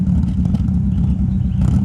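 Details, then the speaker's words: Car that previously wouldn't start, now running after the fault was found; slight, almost cammy, choppy lumpy idle instead of a steady hum. Owner says it ran poorly earlier and expects it to run badly on the road; rough idle, cause unknown. "Got a slight almost cammy choppy sound at idle."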